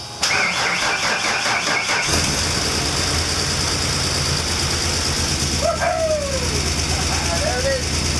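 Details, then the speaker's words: 1993 Ford E250 Econoline van right after fuel pump replacement, pump cycled to build pressure, air filter off: catches after a brief crank and settles into a steady run with outdoor noise; running again, though idle seems a bit rough. "so yeah but yeah now the Vans running nice"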